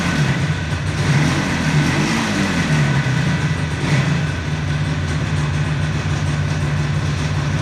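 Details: 1976 Yamaha RD400 two-stroke twin, just revived after five years stored, in a workshop: steady, even low burble with no knocks or misses; running cleanly after the long sit.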